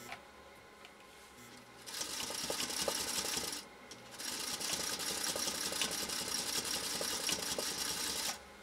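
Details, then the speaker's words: Restored 1956 Singer Featherweight 221-1 (motor and belt serviced) on a sewing pass through two layers of tough acrylic fiber. Fast, even stitching clatter in two short runs, high and light, at a slightly strained pace; a normal machine under heavy load. "It just tells you how tough this stuff is. Listen again to the motor. Listen to the machine. Listen when we go down this final stretch. It is a tough material."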